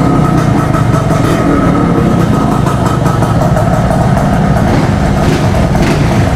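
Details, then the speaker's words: Scooter, either a Honda Click 125i or a Suzuki X4, unused for over a week and hard starting: deep uneven chuffing with slight surges, held running on throttle. It has no idle and won't settle on its own. "Wala siyang Menor ngayon"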